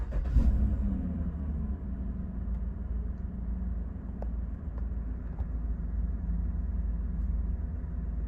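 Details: 2016 Chevy Tahoe V8 after replacing a faulty stuck oil pressure sensor that caused an Oil Pressure Low Stop Engine warning; smooth even idle, no knocks or warning beeps, oil pressure back to normal; normal idle.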